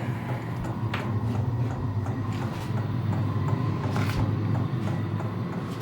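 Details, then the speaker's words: Vevor toolbox diesel air heater in an enclosed trailer just switched on: steady blower whoosh with faint irregular tapping the owner guesses is the heating element warming up; normal running. "So, we're starting to make a kind of a tapping sound. I guess that's the heating element warming up."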